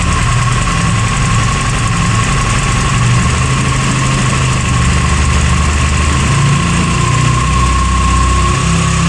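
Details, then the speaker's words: 2019 Italika DS 150-G motorcycle, semi-new, owner reports bogging and black smoke: idle wanders and stumbles unevenly, misfiring badly at low revs. "ahí empieza a fallar a inmensa fallar está fallando más su proyecto demasiado"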